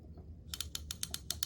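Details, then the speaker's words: Lew's Speed Cast (Zebco Z-1 clone) spincast reel during service, spool refitted after greasing drag washer: crisp bright ticks about every seventh of a second from spool tab in its channel; drag clicker working properly. "that's what that's the sound that you're going to get when your drag is operational"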